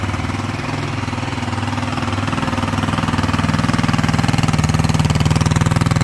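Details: Tomberlin Crossfire 150R buggy, first start after restoration with new coil, Mikuni carb with slide throttle kit, adjustment screw at 2.5 turns, jetting untested, jump-started: quick, even single-cylinder putts picking up slightly; clean, normal idle.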